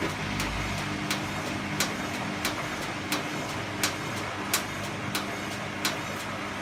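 Sharp, crisp clicks repeat roughly 86 times a minute over a steady engine hum, a mechanical tick whose source isn't identified.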